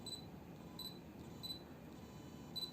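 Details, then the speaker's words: Yongnuo 42.5mm f/1.7 autofocus on an Olympus E-M10 Mark I, hunting against a low-contrast white wall and a desk. Short high electronic whirs with each focus attempt; focus is fairly fast but the motor is noisy for video. "You can hear the focus too, eh? It's got that electrical sound."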